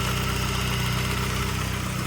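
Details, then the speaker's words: 2002 Saab 9-3 SE 2.0t LPT manual with a bad turbo, at idle: smooth steady running with a light, fast, regular ticking from the evap purge valve purging the system, which is normal; no other engine noises. "You can hear that ticking. That's the I believe that's the evap."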